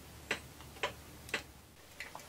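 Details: 1934 Ingraham Bedford time-only wall clock, movement cleaned and reassembled. Crisp, evenly spaced ticks about every half second in a quiet room; the movement beats steadily and runs healthy.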